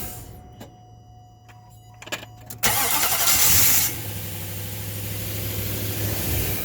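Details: 2005 Nissan Titan with a random intermittent no-start despite new positive and negative battery cables, starter and ECM relay; owner suspects the IPDM or ignition switch. Quiet clicks, then a short crank, and the engine catches and settles to a steady idle.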